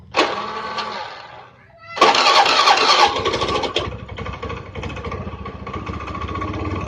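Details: Honda Beat scooter engine after total teardown and rebuild for rough noise, hard starting and oil burning: fails on the first short try, catches on the second crank and settles into a steady even run with no clear knock.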